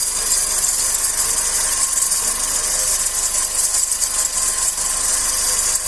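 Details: 2008/2009 G5 idling petrol engine: steady high-pitched hiss and fine rattle traced by ear near the timing belt area to a worn belt tensioner bearing, not the power steering pump; replacing the tensioner fixed it.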